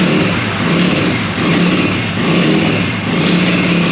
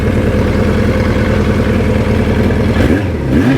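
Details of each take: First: 1965 Montgomery Ward Benelli 125 spun on a homemade starter roller: steady drone with slow surges, engine turns over but never catches or starts. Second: Vintage four-cylinder motorcycle, stored outside for years without spark plugs, engine freed up and since ridden 3,000 miles and daily: runs and revs cleanly with a crisp exhaust note, no knocking or misfire; healthy.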